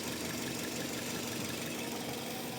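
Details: Petrol car engine idling steadily with a strong hiss and little low rumble after a no-start fixed by tapping the starter; owner suspects the carbon brush or a stuck solenoid.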